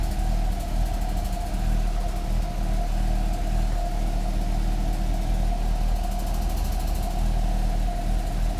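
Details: 1994 Fiat Coupé 16V Turbo: low uneven idle with a lumpy unsteady beat and faint puffing tick, almost cutting out; rough idle with exhaust leak.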